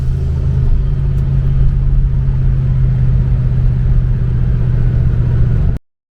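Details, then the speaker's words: Blue boosted car driven home in the evening after a misfire was fixed that day, boost controller turned up a little: a deep, even drone pulls steadily under load over road rumble with no stumbles or popping. Normal running under boost. "so now I can turn the boost up on the car, and that'll be in another episode. For now, just enjoy me screwing off with the controller turned up a little bit on my way home that evening."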